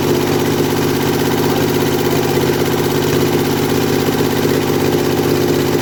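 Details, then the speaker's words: Kohler Command mower engine revived after carburetor rebuild and starter install, running without muffler just after choking: loud steady even beat at constant speed, raw open exhaust, no misses or knocks; runs really well, normal. "i just choked it out so well she runs uh she runs pretty good runs really well"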